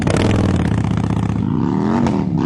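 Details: 2008 Toyota Avensis T25 sedan, test drive after replacing the steering tie-rod ends, which caused a knock over speed bumps. The engine pulls smoothly over steady road rumble with no clunks or knocks from the front end.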